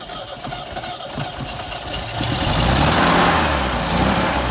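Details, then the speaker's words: 1973 MGB barn find, first start since 1980 after draining old fuel, cylinder four compression borderline at 80 psi: engine catches into an uneven, lumpy idle with irregular pulses, running rough; ignition timing and carburetors suspected, unconfirmed. "so it's running like a little rock i'm sure the ignition timing has to be done but mainly if these carburetors need to be gone through"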